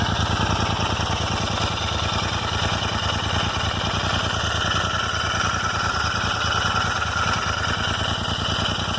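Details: Royal Enfield Interceptor 650 twin at idle: light, uneven, clock-like tick around two per second from the left rocker cover area; the dealer could not diagnose or fix it.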